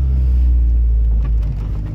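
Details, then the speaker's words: Test drive after fitting the new replacement part on both sides: steady low driving rumble inside the car, with no knocking or clunks. The earlier suspension knocking is gone. "no knocking then we'll try next one other way or just a double check no color no noise silent to these exhaust kicks in"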